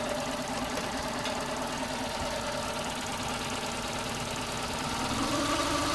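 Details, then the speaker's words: Mazda 323F petrol engine while its base idle is being reset via the grounded diagnostic port: slow, even tickover at about 600 rpm with no misses or surges, matching the earlier idle; normal idle. "that's about where it was before I disconnected it yeah that sounds about right about 600 revs"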